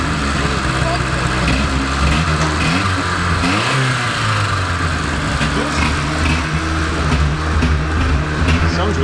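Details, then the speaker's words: 1980s Rover 213 SE petrol engine in a rusty restoration project, exhaust holed/blown throughout when bought, just started in mild weather. It catches and revs cleanly with a deep exhaust burble rising and settling. No knocks or misses, healthy. "Just sounds fit, doesn't it, Michael? Really impressed. It's got quite a nice exhaust note."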